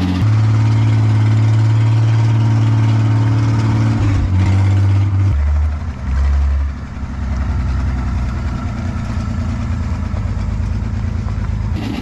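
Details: Restored 1953 Chevy 5700 COE cab-over truck, Western Nebraska project truck off the road about 50 years, now finished, running and driving: low steady idle with even deep thrum, dips briefly once then settles, normal idle.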